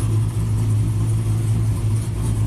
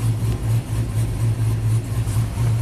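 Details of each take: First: 2000 GMC Sierra 5.3 V8, tuned with cam and exhaust, new OEM CKP sensor fitted, setting P0336: revs surge and sag with a heavy stumbling rumble, won't rev above 2500 rpm; misfire from the crank sensor not seating properly. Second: Tuned 2000 GMC Sierra 5.3 V8 with cam and exhaust, after fixing P0336 crank sensor fault (rust in hole mispositioning sensor) and crank relearn: deep steady burble with even lope, no misfires, shuts off cleanly.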